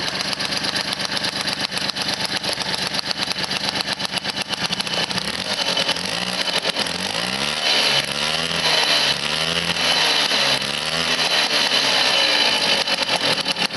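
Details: Motobécane 51 VS moped, 1978, two-stroke rebuilt after thirty years seized (new rings, bearings, seals, clutch, points, condenser); catches first kick and settles into a crisp, buzzy run with steady revs and blips; healthy and even.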